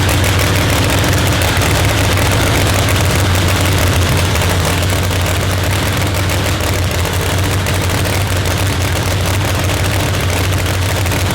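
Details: Procharged Hemi Pro Mod race car first fire-up: loud, deep, steady lumpy supercharged V8 idle with no misses or knocks; running strong, normal.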